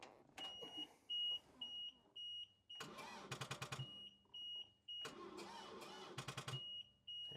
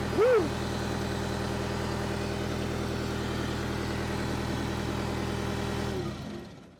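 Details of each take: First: Power Trac PT 1850 diesel mower/tractor, after tightening battery connections: short bursts of slow, labored cranking under a steady warning beep; engine barely turns, about two revolutions, and never catches. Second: Power Trac PT 1850 with a Deutz diesel engine at 168 hours: an even idle with no knocks or misses for several seconds, then it winds down and stops. This follows an attempt to move with the hydraulic plug open; the engine is healthy.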